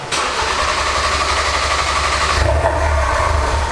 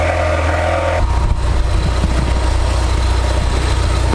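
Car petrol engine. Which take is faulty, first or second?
first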